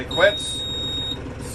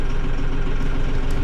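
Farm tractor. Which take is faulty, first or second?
first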